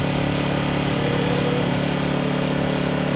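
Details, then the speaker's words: Harbor Freight Predator 1400 generator after 8 months of ownership, running cold at 12 degrees just after starting: steady, even small-engine drone with a regular beat and no misses or knocks; quiet, normal running. "And hopefully you can hear me, but it's a super quiet generator."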